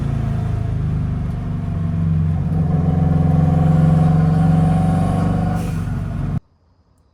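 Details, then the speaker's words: 300hp WRX-swapped VW Beetle after fuel filter replacement, driven about 20 minutes hot, 43.5 psi base fuel pressure reaching 60 psi under boost: strong, even note building smoothly under load, no misses or knocks; normal acceleration. "It pulls hard. It runs great. It sounds good."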